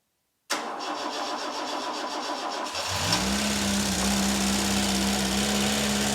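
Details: Vauxhall Chevette barn find, unstarted over 10 years, petrol fed from bottle into carburettor: dry cranking about two beats a second, then catches into steady, slightly lumpy idle; oil seen coming out afterward.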